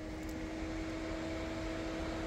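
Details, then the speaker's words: Electric radiator cooling fan activated via scan tool actuation test with engine stopped: steady, even whir and constant hum, spinning smoothly and working normally; it stayed on after the stop command. "ahí se escucha el abanico claramente"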